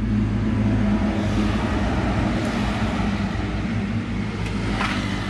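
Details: Motorcycle that had died, running on a substitute IC Z-Con ignition module, revved: strong, even rev with no misses or stumbles; ignition firing cleanly; original fault was a burnt ignition coil.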